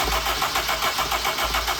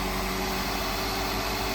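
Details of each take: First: Mk1 Honda CR-V that may have been sitting, crank no start with no spark: starter cranks evenly for about four seconds after the calcified distributor was cleaned. Coil has power, so a burnt rotor arm and distributor cap are suspected and will be replaced. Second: Crashed MK1 Honda CR-V that previously had no spark, now running after a new distributor cap and rotor arm and an inertia switch reset: a smooth, quiet, even idle like a sewing machine, with no ticking, misfire or rattle.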